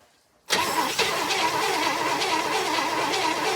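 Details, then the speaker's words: 1964 Chevrolet Impala sat about 50 years, oil and gasoline added to cylinders: steady cranking rasp about three seconds with faint coughs, no catch; owner plans fresh spark plugs. "okay so we're getting close it's kind of hiccuping and coughing not quite but we're getting there I'm thinking a fresh set of spark plugs in the morning"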